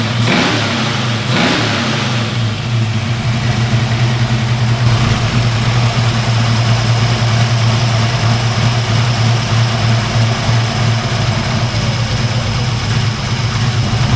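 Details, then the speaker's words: Small-block V8, about 12:1 compression, on a 93/ethanol and race-fuel mix, after the distributor was reinstalled: a couple of quick throttle blips, then a loud, deep, choppy idle with a heavy lope near 1100–1120 rpm; normal lumpy idle. "little motor's pretty hot uh it's about 12 to1 compression and I have to run a mixture of 939 ethanol plus race field but um they don't like to idle below 1100"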